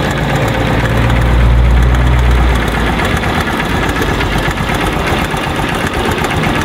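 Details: Motorcycle single-cylinder engine at cold idle: fast, fairly even tapping about four a second over the thump; ticks when cold and goes away when warm, traced to a weak cam chain tensioner.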